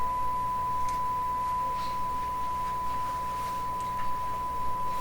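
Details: Canadian General Electric K60 radio during IF alignment: steady pure mid-pitched 455 kHz test tone over a faint low hum, injected at the antenna, passing cleanly through the IF.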